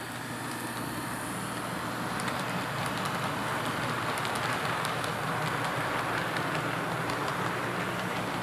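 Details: Athearn P42 model locomotive no. 156, test run after lubrication while hauling 3 cars as a light load: even steady whir with light rail rumble, no catching or stutter. Runs smoothly.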